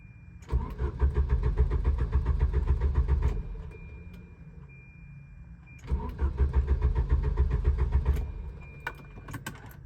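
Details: Volvo 740: two long bursts of steady starter cranking at about three to four turns a second, engine never catches; crank no start.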